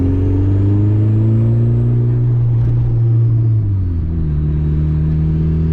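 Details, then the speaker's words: Turbocharged VTEC Honda with a fresh motor, during street tuning: strong, even pull under load, pitch climbing smoothly then dropping at a shift, with no misses or stumbles; responsive, fuel table as expected; normal acceleration. "cars nice and responsive fuel table looks exactly the way it should be so that's how we know we got a good tune going on so far nothing weird's happening everything's working the way it should"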